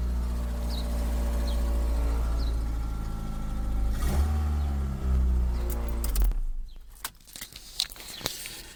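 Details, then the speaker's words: 2003 Ford Focus LX sedan at idle: a deep, loud, lawnmower-like rumble that fades once the engine is shut off. A muffler shop found the exhaust system fine; exhaust is leaking from an EGR valve tube snapped at the front of the engine. "the reason why it's so much louder than it should be is because of a piece called the EGR valve tube has cracked at the scene"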